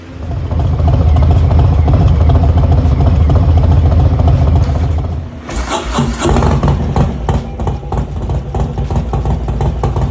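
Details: Harley-Davidson Low Rider S, Milwaukee-Eight 114 V-twin, first start after installing S&S 475 cam chest kit with new oil pump: big twin fires and settles into a strong even lumpy idle, then a quick blip; no ticking or knocking, runs healthy.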